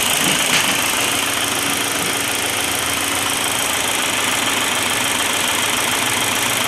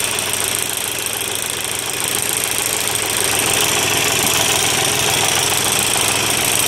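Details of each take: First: Volkswagen diesel at idle after the broken injection pump spring was replaced and pump refitted: steady even diesel clatter, no stumbling or knock; normal diesel idle. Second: Volkswagen diesel at idle: a sharp, regular metallic clatter about three beats a second over the diesel rattle; broken spring in the timing-belt-driven injection pump, which is to be removed and sent to a pump specialist.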